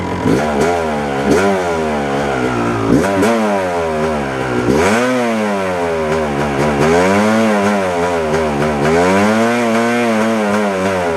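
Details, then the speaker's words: 1997 Yamaha YZ250 two-stroke, 10–15 minutes into warm-up: uneven idle dipping and surging, worse in gear or on throttle, won't idle alone long; owner suspects crank seal or crankshaft, unconfirmed; sputtering, erratic idle. "Uh, after all, it's it's acting up when I put it in gear. Not so much when it was in neutral and I pulled the clutch in and, you know, started playing with the throttle and not so much sputter when it was in first gear."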